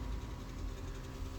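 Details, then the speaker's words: BMW 7 Series E65/E66 hydraulic trunk lid: pressing close, steady low motor hum from the right-side pump but lid doesn't move; soft close works once helped by hand; parts must be removed to diagnose. "I can hear the motor, but nothing happens. So I can hear the motor on the right side, and in order to see what's wrong in there, we have to remove a few parts."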